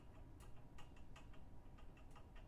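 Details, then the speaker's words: Two Trees Bluer 3D printer at first setup, with lots of vibration and play in the Z axis. Faint light ticks every half second or so over a low hum. It needs an anti-backlash nut under the Z rod: Z-axis play clunk. "hear that it needs one of those uh those nuts that go uh go under on the z rod"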